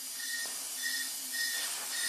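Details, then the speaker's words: 2001 Jeep Wrangler 4.0L on its second engine at 379k miles, running rough: leak-down test gives a steady airy hiss with a wavering whistle heard in the exhaust pipe, from a leaking exhaust valve. "it's got to be coming out the exhaust pipe yes I can hear it in the exhaust pipe"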